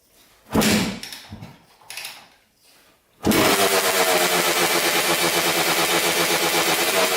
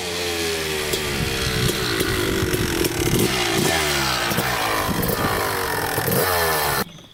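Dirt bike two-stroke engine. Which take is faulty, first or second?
first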